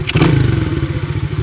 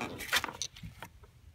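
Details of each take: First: Chinese ATV carburetor during idle and mixture screw adjustment; short throttle blip, then single-cylinder thump sags into uneven, lumpy idle and nearly dies; boggy from incorrect mixture, needs adjusting toward peak RPM. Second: Chinese ATV carburetor during idle and air-fuel screw tuning: cranks and catches, then settles into an even putt-putt of about four beats a second; idles steadily, though later boggy on throttle.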